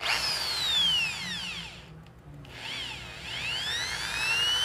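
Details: Makita electric drill after forward/reverse switch replacement, running in forward: clean motor whine spinning up and down smoothly, no grinding or rattle; normal running.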